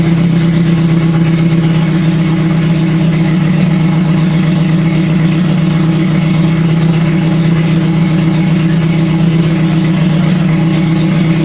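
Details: Scion FR-S with a rebuilt 3SGE engine swap: smooth, steady engine hum with no knocks, misses or rattles; the engine runs cleanly and evenly.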